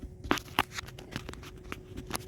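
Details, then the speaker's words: 1979 Pontiac Trans Am with added factory power windows: sharp clicks but no motor whir when holding the switch, window not moving; motor does not run. "so I told him I said well I hear it clicking but the window's not working"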